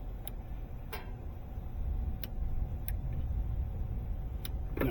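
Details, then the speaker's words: Starter jumped across two pins gives sharp, irregular clicks with no cranking and no drain; the starter was diagnosed bad, and the car started after it was replaced. "You can hear the starter clicking when I jump it here. So, and it's not doing a drain."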